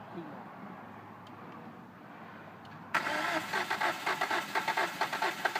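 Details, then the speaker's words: 2005 Hyundai Sonata 2.4L DOHC after a stripped timing belt and bent exhaust valves: starter turns it over in uneven chugs of about two a second but it never catches; crank, no start after stalling at low idle. "huh so you can see here it will not start okay"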